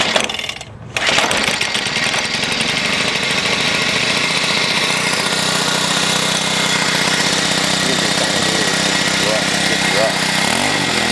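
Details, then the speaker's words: Troy-Bilt XP machine after about two months of use, oil changed that morning, earlier emitting white smoke; at startup it runs harsh with a thin whine and loose rattle, cause unclear. "to make this like whining rattling noise when i start it up as if it's just it just is ready to kick out on me"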